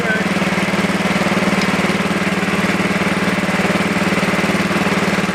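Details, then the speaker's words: Super 12 hydro small single-cylinder engine, just started cold. Steady chugging about three pulses a second, a little lumpy and strained: rough cold idle. "go yeah she definitely don't like the idol at all but it was kind of my fault"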